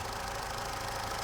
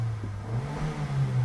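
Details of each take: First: Vauxhall/Opel Astra with P0141 code, battery/engine light and cutting out: steady idle broken by an occasional uneven beat, a cylinder misfire at idle before warm-up, cause not yet pinned down; mic held closer to engine. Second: 2008 Opel Astra 1.4 on road test after repair of misfire with engine and battery lights on (P0141): low even rumble building under throttle then smooth cruising over road noise, no misfire or stumble; lights stay off.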